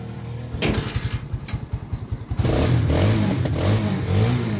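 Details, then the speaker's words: Barako 175 motorcycle, cold engine, after carburetor adjustment and valve clearance set; about two seconds of quick, even starter pulses, then it catches on one press and runs smoothly; a clean, easy cold start. "Allr kahit malamig ang makina isang click lang. Isang start lang madali na siyang paandarin."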